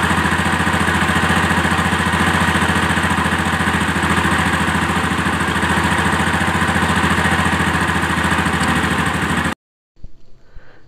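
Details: Honda Activa scooter after carburetor air screw adjustment: steady, even idle with a regular beat and nothing uneven; small engine sounds smooth and settled.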